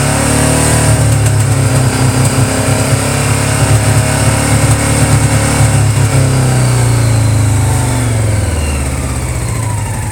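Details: Honda PC800 motorcycle misfiring above 2600 rpm: revs climb with uneven, stumbling beat and brief dropouts; owner suspects faulty pulse generators, not confirmed.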